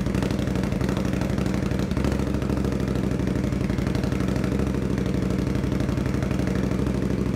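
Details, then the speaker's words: 2021 Indian Scout Bobber Twenty with Vance & Hines Twin Slash slip-ons, after a budget fix adding baffle material: an even, loping V-twin idle with a steady throb. The harsh loud edge is gone, so it sounds quieter; normal idle. "yeah I don't know if you can hear it but it's quiet not quiet but it's it's better way better did it yeah it's way better it's not like it takes the edge off of it"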